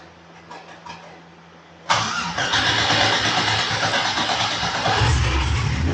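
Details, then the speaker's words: Cadillac CTS-V engine first start after rebuild from water intrusion (bent rod, broken piston; new piston, head and oil pan refitted), coolant bled; catches cleanly into even steady idle, no knocking or ticking, no leaks, fantastic oil pressure; normal start and idle. "But it runs, bled the coolant, there's no leaks. Sounds like it's running good, has fantastic oil pressure."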